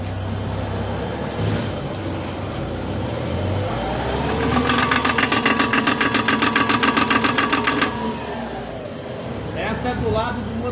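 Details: Car rolling and steering: rapid, even clicking, about four a second, rising over the engine; both CV joints worn, this one on the right side.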